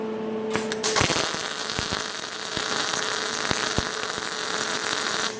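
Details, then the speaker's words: MIG welder on sheet metal, heat setting 2, wire speed raised from 50 to 60: steady, crisper frying-bacon crackle with no popping, wire speed and heat well matched. "you can see, you can hear the change from just 50 to 60. It's a lot crisper."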